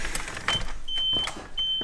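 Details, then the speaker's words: JDM Ganador mirrors installed on a Nissan 240SX S14 (RB25), black wires swapped after the first try failed: high thin whirs in short bursts, starting and stopping cleanly; the power mirror motor works normally. "you hear that that's the mirror working"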